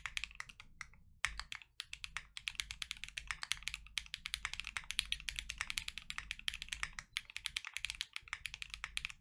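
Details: Lubed KNC Keys Tofu Linear (R2) all-nylon long-pole switches, Freebird60 with gummy O-ring mount, POM plate, silicone dampener and polyfil: full typing test, fast, even, soft, consistent clacks without spring ping or rattle. Normal keyboard typing.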